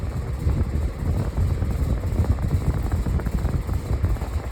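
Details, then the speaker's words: Vintage Dayton 24-inch industrial air circulator fan at full speed: deep rhythmic throbbing and rattle with each blade pass, blades badly out of balance; fan blade imbalance. "You can hear how quiet it is and how much air is blowing. Just that it's rattling is how out of balance it is."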